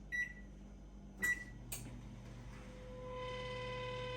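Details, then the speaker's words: Samsung range oven (2010 and up): two control-panel beeps, then a steady high squeal rises as the convection fan motor spins up, and the motor is to be replaced. "awful squeaking noise if i open it up the oven stops but you can hear the noise clearly it's coming from the [Music] convection motor that runs the fan inside the oven"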